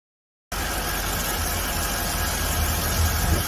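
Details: Mercedes W221 that died on the highway, after CKP sensor, engine oil, fuel pump relay and fuel pump replaced with genuine Mercedes parts: engine catches and settles into smooth steady idle, even low hum, no misses; running normally.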